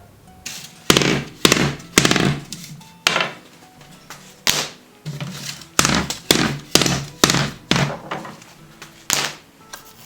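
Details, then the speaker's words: Wooden horse-drawn buggy wheel with hard rubber tire removed during repair estimate: hollow wooden clunks in bursts about twice a second as the wheel is handled, rattling showing how loose the spokes are in the rim. "Khi tôi thực sự tháo lớp cao su cứng này ra thì sẽ dễ dàng hơn một chút khi nghe thấy âm thanh lạch cạch lỏng lẻo này, cho thấy những bánh xe này thực sự lỏng như thế nào."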